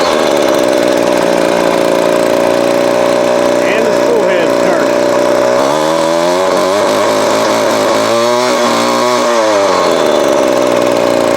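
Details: Vintage Craftsman 22.2cc 14-inch two-stroke string trimmer, estimated early-to-mid 1980s, original spark plug and fuel filter, fuel line replaced and carb cleaned; steady high-pitched drone with smooth throttle blips rising and falling cleanly; healthy.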